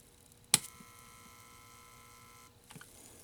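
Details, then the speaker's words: Cinematronics vector monitor on first power-up after repair: click then steady high whine about two seconds and stops; constant noise caused by broken traces. "Yeah, something ain't right. It's just making a constant noise. So something definitely is not correct."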